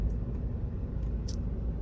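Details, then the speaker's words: 2018 lifted Ford 3.5 EcoBoost, driving down the street after rattle fixes: steady low engine rumble, no rattles or knocks, occasional turbo whoosh; sounds healthy. "not a sound out of the ordinary at all I love the turbo sound ever so often you can hear the uh the whoosh of the turbo"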